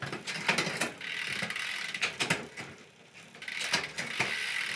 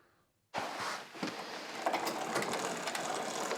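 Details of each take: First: Mountain bike rear derailleur after cable tension adjustment (indexing): freewheel ticking with clean single clicks as the chain steps across the cogs, no chatter or hesitation. Shifting is properly indexed. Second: Mountain bike rear derailleur with the low limit screw too tight, loosened slightly but not enough. Fast, irregular ratcheting clicks as the chain climbs to the largest cog, then falls back down.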